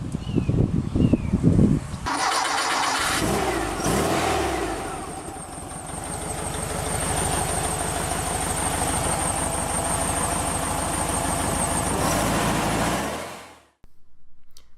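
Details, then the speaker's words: Freshly installed CB Performance 1904cc air-cooled engine with dual 40 IDF Weber carbs in a 1967 VW Bus, still in break-in: cranks briefly, catches cleanly, smooth even idle with a light rev; sounds healthy. "everything was in, looking and sounding fantastic. Man, that sound is so good. Oh, damn, it definitely has some pep in it, let me tell you."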